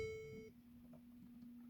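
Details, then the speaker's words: 2014 Mercedes C350 push-button start: short high beep then faint steady tone, no cranking; engine won't start and dash says replace key battery, the low key fob battery preventing starting. "it's actually it's not turning on the engine is not turning on I mean it's not igniting it says replace key battery replace key battery"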